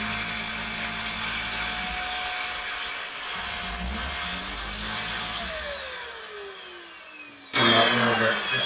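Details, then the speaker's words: Shark DuoClean corded stick vacuum: a steady high whine winds down and dies within about two seconds when switching off the higher setting, then abruptly returns; the motor cuts out, and the owner suspects processor or programming corruption on the board. "If I try and turn off the higher set, it just cuts out. Um and for me that can it can only be um the the processor."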